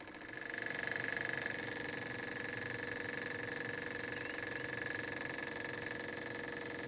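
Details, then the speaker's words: Very old Stevens model dockyard steam engine in a vintage steam boat under restoration, first outdoor steam test after gas jet change: quick, even chuffing about four a second with steady hiss, no knocks; runs smoothly. "i'm going to leave you with the sight and sounds of a really old stevens model dockyard engine doing what it's supposed to do"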